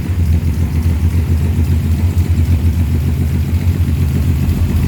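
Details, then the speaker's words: 1938 SS Jaguar 3½ litre six-cylinder engine, first runs in over 50 years, after fitting new spark plugs (two of six old ones failed): idles with a deep, even beat and no misses or stumbles, sounding much better. "amazing guys why do we need to change plugs every 15 000 K's [Music] she sounds a lot better with the new plugs"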